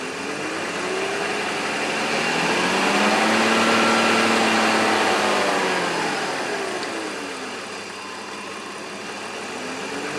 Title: Diesel like ticking noise BMW e46